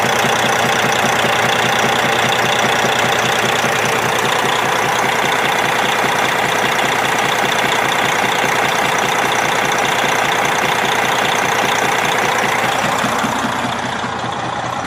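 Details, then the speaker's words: Detroit 60 Series 12.7 diesel, idle raised, good oil pressure, almost no blow-by: regular knock about two and a half per second over the idle; cause unknown, owner suspects broken piston skirt, possibly wrist pin. "My thought is it could be a broken piston skirt."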